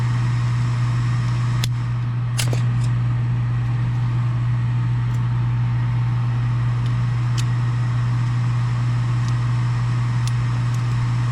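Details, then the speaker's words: Furnace after replacing an extremely loud draft inducer motor; the new draft motor hums low and steady with faint gas valve clicks, and the furnace fires and heats normally. "That sounds much better now. Maybe we can hear the gas valve clicks."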